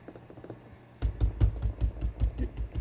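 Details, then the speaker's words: 2019 Chevrolet Silverado LD Legacy: quick hollow plastic clunks in bursts at each slight tap, a loose rear interior trim piece moving and rattling inside its mount; owner considers wrapping its bottom in tape. "just the slightest bang, and this thing you can see is moving. It just rattles around inside there. Another annoying sound."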